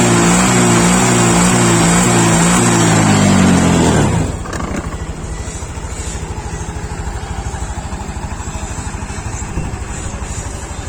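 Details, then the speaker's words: Honda Beat Sporty Deluxe scooter (year stated 2021), formerly stumbling off idle; revs rise cleanly then settle to an even idle of about three beats a second. Injector judged still good. Normal revving and idle. "ini untuk gas awalnya enak udah enggak merebet lagi"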